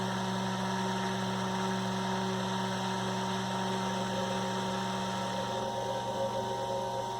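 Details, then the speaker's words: 1960s Eskimo desk fan model 081005, 50+ years old, running after adding shaft spacers: steady motor hum with loose uneven flutter as blades move in and out; still too much end play, more spacers planned to stop chatter. "So, even with the spacers, we've still got quite a bit of slop there. So I think what I am going to do, we'll take this apart again, and we'll add a couple more spacers to it. See if we can't get rid of that chatter."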